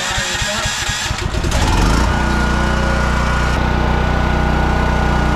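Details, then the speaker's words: Home Depot dual-fuel portable generator (30 A at 220 V) running on propane, feeding house through 14-50R plug with main power off; catches after a few cranks and settles into steady even hum under house load, lights and refrigerator running normally. "so now you can see the lights are on let's check refrigerator is running everything's good the generator you can hear it humming in the background"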